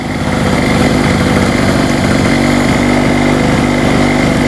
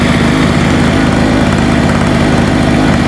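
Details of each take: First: Hurricane 850W 240V two-stroke generator after the fuel was corrected to less oil and the spark plug tightened, under a load set on low: steady drone, pitch easing slightly as load comes on, no misses or hunting, so it runs properly under load. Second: Hurricane 850W 240V two-stroke generator with a loose spark plug retightened, warming up: steady, busy drone at constant speed with a slightly ragged beat, smoking heavily; fuel probably has too much oil in it.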